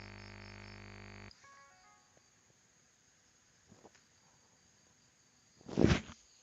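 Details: USB microphone on a laptop: buzzy electrical hum, caused by the laptop's ungrounded charger cable, stops abruptly when the power cable is unplugged, leaving a quiet clean background without ground-loop hum.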